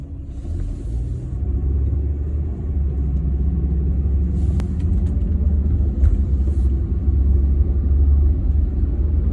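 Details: BMW E36 with 220k miles: a deep, heavy droning rumble fills the cabin and never lets up, from a worn driveshaft center support bearing; replacing the bearing made the noise go away.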